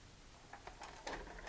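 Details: Magnavox MVR440MG-17 4-head mono VCR that ate tapes, after mode select switch repair: a few soft clicks and short motor whirrs as the mechanism unloads, no grinding or snagging. Normal, clean tape eject.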